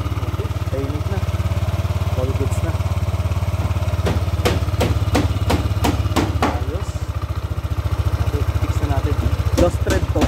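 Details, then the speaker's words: 2017 Yamaha NMAX V1 ABS scooter idling just after the stock exhaust pipe was refitted: a soft, even, low putter with a few light taps over it, quiet and smooth; normal idle. "Alright, so nakabit na natin yung stock pipe pops. Testing natin. Testing kung anong tunog na."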